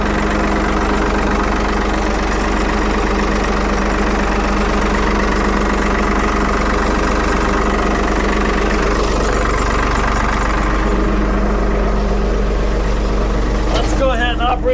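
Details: 1975 Ford 550 backhoe "Big Mo" back running after repair, cold-started in neutral, idling as the hydraulic lever is about to be operated; low, steady diesel idle with an even four-beat-per-second thrum, no knocks, whines or hiss; normal idle.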